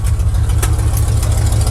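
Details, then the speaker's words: 1979 Chevy V8 with misfire and a suspected loose torque converter that usually clunked in gear, worst in reverse: steady, smooth low idle in drive with no clunk or knock; normal drive engagement. "reverse always seemed to be the worst I don't know why nothing in Drive either it's good right on"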